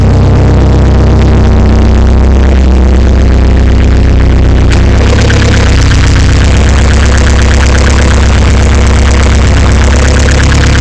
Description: ca18det rattle noise. not sure what is making this noise.